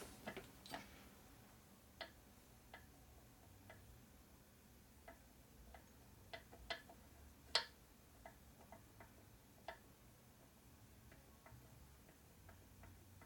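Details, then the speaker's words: 1946 Harley knucklehead 84ci stroker with new repo motor, distributor gear rocked by hand: sharp, irregular light clicks of tooth slapping tooth; distributor drive gear backlash, about five thousandths. "that's our backlash right there you got probably five th in the teeth probably hold this Gear with no clearance you can hear it wobbling you hear the clearance it's not much in there"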